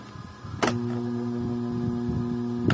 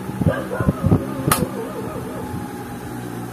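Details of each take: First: Desk electric fan switched on: a click, then a steady low motor hum with no blade whoosh. The blades barely move although they are not stiff; the cause is a worn motor bushing. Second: Standard electric desk fan after repair of hum-but-won't-spin fault (worn bushing, dirty and dried of oil, bushing replaced and lubricated), running on speed 2: after handling knocks, steady even hum with clean motor tone, running smoothly and strongly.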